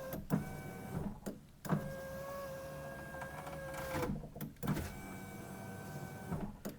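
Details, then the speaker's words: GMC Yukon/Tahoe rear door after replacing the failed window regulator with a Dorman regulator and motor: steady, even motor whir on each window travel, stopping cleanly at the ends with no grinding or clicking; the window works properly. "in the way, moving pretty good."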